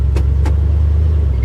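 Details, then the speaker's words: 1971 Chevy C10 4x4 at salvage auction yard: deep, steady low rumble holding even as it drops into gear, no knocks or misses; normal running in gear. "Oh yeah, she's got gears."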